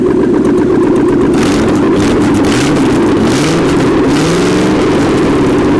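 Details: 1979 GMC Heavy-Half with a scrapped 350 small-block V8 with new heads, coolant not hooked up; a steady, even idle with a small throttle blip and no stumbling or pinging; normal idle.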